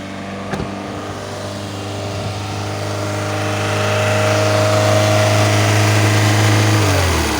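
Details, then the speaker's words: Alfa Romeo 156 Twin Spark petrol engine idling far too high at 3,000–4,000 rpm, steady high-pitched drone then winding down; suspected false air intake or idle regulator fault, PCV valve tested good; cause not confirmed. "the customer states that the idol is at 4,000 RPM 3 to 4,000 RPM"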